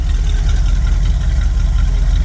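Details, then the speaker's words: 1979 Ford E-350 Chateau RV after repairs and light tune, dual exhaust, needs electric choke, likely old fuel: deep steady V8 rumble at idle, even beat, no knocks or misses, not smelling too rich; healthy. "yeah one exhaust two exhaust dual exhaust she sounds really good doesn't smell too rich"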